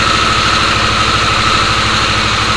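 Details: Harley-Davidson Sportster S, battery recharged after key-fob drain, started via code entry: even, steady idle pulse with no knocking or stumbling; healthy normal idle.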